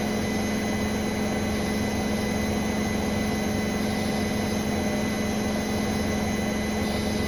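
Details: Brand-new Bosch Serie 4 WAN28281GB washing machine, balanced final spin, seal clear of drum: steady high-pitched squeal over even drum rumble throughout; owner wonders about bearings or EcoSilence drive belt, earlier suspected suspension, source not pinned down.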